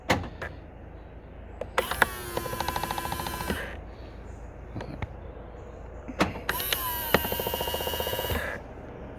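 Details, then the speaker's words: Skoda Octavia Mk3.5 power-folding wing mirror: two short motor whines with rapid rattling clicks, five to six a second, from the vibrating breakaway coil spring; fix with spray grease; clicking from dry breakaway spring. "if you watch that little coiler spring down the bottom there you can see it sort of vibrating backwards and forwards and that is where the noise is coming from"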